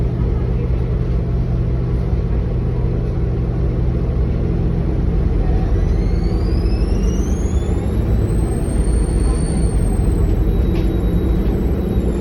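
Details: NXWM 2140 diesel bus: a high, thin whine rises and falls with the engine over a heavy diesel rumble. Abnormally prominent turbo whine, cause suspected but not confirmed.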